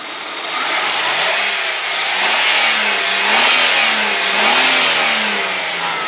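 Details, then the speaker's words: 2000 Ford Windstar SEL minivan, free revs at standstill: engine note climbs and falls smoothly through several blips with no knocks or high-rev taps; normal revving, only a slight power steering whine noted otherwise. "Okay, you can hear that sounds good. You don't need to be, you know, a genius or a mechanic to know, holy cow, that does sound nice. No knocks, no high rev taps, nothing like that."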